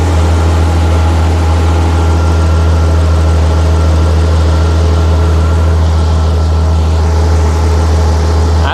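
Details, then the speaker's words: Jeep engine after retightening gaskets, idling steadily at 800 rpm: smooth steady hum with no ticking, hissing or roughness; runs the way it should, normal running. "the way it's supposed to sound also I don't know what's going on with this might have to fix that yeah idling steadily at 800"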